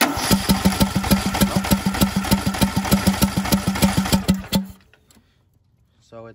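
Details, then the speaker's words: John Deere LA125 with Briggs & Stratton 21 hp single-cylinder engine, 282 hours, after fitting a new OEM Briggs carburetor replacing the aftermarket one: steady even thump, about three pulses a second, then clean shutoff; runs normally. "it runs perfect so yeah I'm sure it was the carb that aftermarket one"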